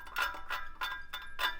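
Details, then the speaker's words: Old turbo removed from a Mitsubishi Evo X that had been running lean, spun by hand with side pressure. The shaft is very loose with bearings shot, and light metallic scraping strokes come from the compressor (cold side) wheel hitting its housing. "That's the turbine, the cold side turbine hitting the housing. So I'm honestly surprised we never really heard it."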